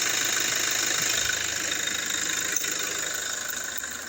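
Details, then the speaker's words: 2017 Toyota Hilux diesel running in reverse or drive with alternator plug disconnected: even smooth beat, crackling click gone, confirming the alternator pulley as the clicking source; normal running. "Remove the alternate the the connection to the alternator and start the vehicle [Music] again. Put it in in reverse or drive. Realize the noise is gone."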